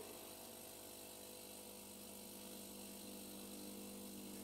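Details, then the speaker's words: DeLonghi EVO (FEB292/293/294, no milk jug) during descaling with DeLonghi descaler, stopped at coffee spouts: quiet steady buzzing hum of the vibratory pump; nothing visible because overpressure circuit drains into the cup tray; pump running normally. "Donc là on entend pomper, mais on ne voit rien sortir, parce qu'en fait elle a la vidange de circuit de surpression qui va atterrir dans le support de tasse."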